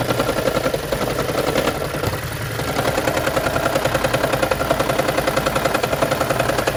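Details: 2013 Lexus CT200h hybrid with check engine light, rough rattling chatter about three to four pulses a second at cold start each morning, stopping once in hybrid mode; fixed by spark plug replacement tune-up.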